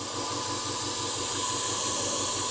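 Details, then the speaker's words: Iwata airbrush compressor with 2-liter tank, oil-free: steady hum with quick even throb about six a second and air hiss while filling; runs smoothly, noise mostly from case vibration, quieter than a workshop compressor. "because most of that noise is coming from the vibration of the case that it's in but no problem with with airbrushing with this unit at all and silent enough compared to that workshop compressor"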